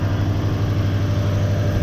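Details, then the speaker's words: Toyota Hilux with 1UZ-FE V8, after swapping coil brackets to fix one bank not sparking: steady, even low hum with no stumble, idling smoothly on all cylinders; normal idle after repair. "That sounds much better."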